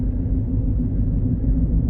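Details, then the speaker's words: Ford Fusion hybrid, road test with customer complaint of rear noise: steady low droning roar under road noise that comes and goes as the car sways left and right, pointing to a bad wheel bearing. "That roar, roar, roar. So now, it's still there. It's not there. Still there. It's not there. Still there. Not there."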